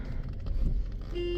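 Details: 2011 Kia Soul on a test drive: a short, clear horn blast with a steady mid-pitched tone over low road rumble; the horn works properly.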